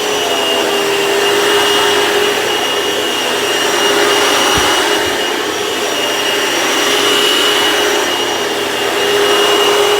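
Steady, even motor roar with a constant high whine and no slapping or squealing; the upright vacuum sounds healthy.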